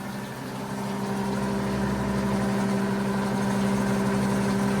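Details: 90-year-old rebuilt Gilbarco GMB 80 gas pump pumping diesel fuel. Smooth, even motor hum that settles to one steady pitch after start-up, with no rattles or grinding; it runs quite smoothly and is fully operational.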